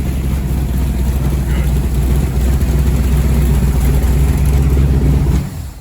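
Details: First start-up of a freshly rebuilt Ford 427 medium-riser FE V8 at Thackston Brothers Garage, built for a 1967 Galaxie 500 clone. A deep, even rumble swells smoothly with throttle blips, with no knocks or ticks, then the engine shuts down cleanly. It sounds healthy.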